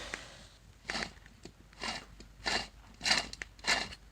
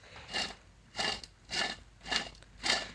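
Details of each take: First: Honda CRX alternator, removed and spun by hand after battery light came on while driving then at idle: dry gritty crunching swelling with each turn, about 1.5 per second; worn, rough alternator bearing. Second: New replacement alternator for Honda CRX, spun by hand, just under two turns a second: soft smooth whirr, no grinding or rumble, pretty quiet as expected; normal bearings after replacing failed alternator.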